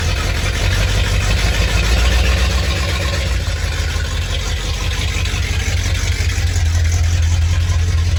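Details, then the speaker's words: 1987 Ford Bronco XLT, cammed 351W with a Holley 4-barrel double pumper and straight-piped headers into true duals, first cold start after sitting all winter: deep, lumpy, uneven V8 idle with stumbling pulses, starting to clear. Cylinder misfire at cold idle. "talk about misfires Eddie did not like hibernating for winter I could tell you that right now Eddie does not like to sit"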